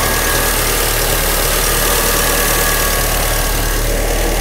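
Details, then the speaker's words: Car at its 20,000 km service, after work on noise from the two accessory belts: a steady, even idle hum with no squeal or chirp from the belt drive. The noise is gone; normal idle with quiet accessory belts. "Agora sim, o barulho se foi, chefe."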